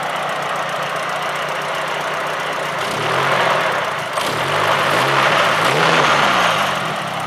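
Fast light ticking, about three per second, over an uneven idle that waxes and wanes; a top-end tick, cause unknown.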